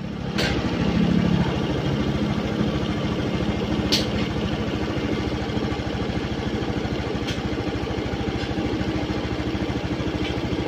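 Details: Honda Beat FI scooter with shorted regulator/rectifier (kiprok) and failed ECU; steady low putter at idle with faint even tick, no misses or knocks, before charging check with digital multimeter.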